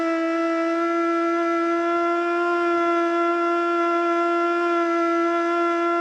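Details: Older Federal Signal Model 2 siren (old CD box), Princeton NE, alert test: steady hooting wail at one middling pitch with slight wobble, never reaching full scream; owner suspects worn brushes.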